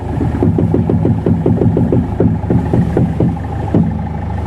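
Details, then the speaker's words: Volkswagen Polo, steering turned side to side: quick regular tak-tak knocks from the left front shock area; likely the bearing under the strut top mount bush, the front strut top mount bearing. "ഷോക്കിന്റെ ഭാഗത്താണ് steering അങ്ങോട്ടും ഇങ്ങോട്ടും തിരിക്കുന്ന സമയത്ത് ഇങ്ങനെ ടക്ക് ടക്ക് ടക്ക് ടക്ക് എന്ന് മിക്കവാറും ഷോക്കിന്റെ mount ഷോക്കിന്റെ mount ബുഷിന്റെ അടിയിൽ വരുന്ന ബെയറിങ്"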